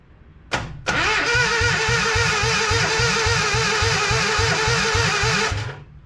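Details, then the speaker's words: Datsun 720 King Cab 4x4, unknown year and engine, sitting about 20 years, weak battery, throttle jammed open, compression tester in cylinder 1 exhaust side: starter spins fast and evenly at about 214 per minute, reading zero compression. "It's making weird compression-ish sounds, but giving me a 0 on the compressionometer."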